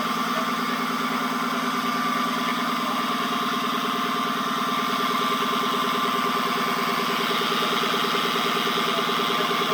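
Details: 2014 Dodge Charger Pursuit 5.7L HEMI, 5-speed automatic, 116,000 miles, heard from inside at the driveshaft tunnel; steady high whine over engine hum, rising with speed; began after driving through flooding; owner suspects U-joint or carrier bearing, unconfirmed.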